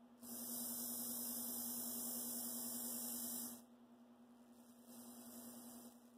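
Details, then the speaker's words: Athearn Blue Box SD40-2 motor, being prepared for DCC/sound install, stalled by finger drawing 0.3 A, within safe range under the 1.5 A target: steady low electrical hum with a hissy buzz and no spin. "See, I'm stalling it with my finger. Now it's in the better safety range."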